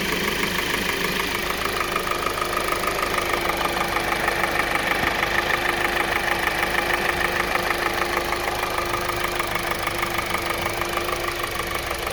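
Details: 2020 Kia Soul 2.0L at 20k miles, serviced every 5k: steady ticking knock about three per second over an even idle; piston slap from faulty piston rings, later leading to complete engine failure and a warranty engine replacement.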